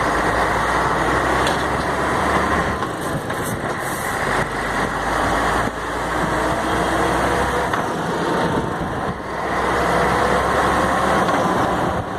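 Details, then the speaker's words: Mercedes-Benz MB 1634 diesel truck road test after differential reassembly: steady drive noise and road rumble, no whine or clunk when coming off throttle, where it used to roar off-throttle in gear; problem fixed, differential normal. "a menino acabou o barulho acabou aquela barulheira acabou o barulho linda agora"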